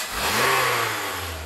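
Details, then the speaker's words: 2017 Honda Accord engine revving smoothly and evenly with no high-pitched whine, heard with the drive belt removed, showing the customer's whining noise comes from one of the belt pulleys rather than the engine. "I'm gonna start the engine on come on and as you can see the noise is gone"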